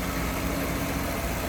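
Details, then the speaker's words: 1966 Ford Mustang convertible idling with hood open, after new exhaust manifold, tank, sending unit, brakes and rebuilt carb; soft, even idle with steady low hum, no ticks, misses or hunting, sounds good; normal idle. "Look how smooth this thing runs. Wow. Sounds good too."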